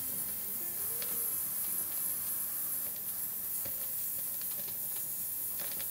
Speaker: so there's a lot of crackling on this record